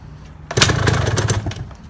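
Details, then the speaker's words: 1978 Yamaha DT175 Enduro two-stroke after reassembly: short crisp blip, sounds tighter with no rattle; running normally, though owner suspects piston slap and a rattly clutch basket. "start the thing up again it sounds a lot better it sounds a lot better a lot tighter"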